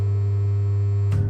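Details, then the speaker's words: Three-phase motor on a tank installation running on two phases (single phasing), stator not turning, windings possibly damaged from repeated switch-on: a loud, steady low mains buzz with no spin-up, then it cuts off. "cuz people have been turning it on probably takes a few seconds to trip in two phasing and because the state is not moving it could have knackered two of the windings"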